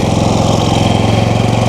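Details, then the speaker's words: Predator 5000 generator, third unit, zero hours, as power stations are plugged in to charge: steady fast single-cylinder beat ramping up then settling under load; running smoothly under load. "And you can hear it ramp up."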